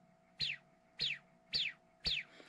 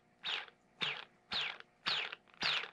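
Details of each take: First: Hyperlite 2207.5 1922KV brushless quad motor after bearing replacement, four quick hand spins: each a clean falling whirr that dies away smoothly with no grit or rattle. Healthy new bearings, in contrast to worn, crash-damaged ones. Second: Hyperlite 2207.5 1922KV brushless quad motor hand-spun five times: falling whir with low-pitched gritty grinding from worn bearings, alongside normal high magnet whine; bearings to be replaced.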